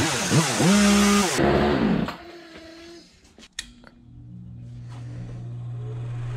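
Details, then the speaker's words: Free old Husqvarna chainsaw found at the roadside, revived and started on a warm day, low screw tweaked: saw revs hard and clean, then drops to a steady even idle without stumbling; carb set right, normal running. "Well, gotta tweak that low screw a little bit, probably. There we go. Runs like a damn top."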